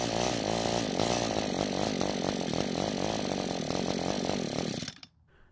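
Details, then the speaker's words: Echo GT200R two-stroke string trimmer that starts but won't stay running: a rough buzzing idle holds a few seconds, then winds down and dies. It runs lean and only keeps running with the carb choked. "the good news is that it starts and runs but the bad news is it doesn't want to stay running however the test runs did show us that the engine stays running when the carb is choked which basically gives the engine more fuel than air"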